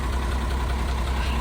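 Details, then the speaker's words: Truck that wouldn't start on a wet day, suspected flat battery: a deep, even low rumble with no misses or knocks at steady speed; the engine has caught and idles normally. "he is alive you can get on and do what we wanted to do for the day"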